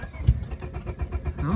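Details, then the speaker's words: Honda Civic left sitting in grass, low on fuel: slow uneven cranking with a couple of faint firing burps that never catch; cranking with occasional misfire, no start. "couple little burps i think she might be a lost cause boys"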